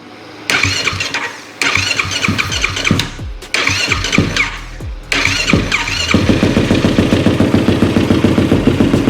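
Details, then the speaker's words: Yamaha YFZ450R single after reconnecting a fuel pump wire that had come off in the tank: several short cranks, fires and holds a steady even idle; normal start after repair. "all right this girl is back in business"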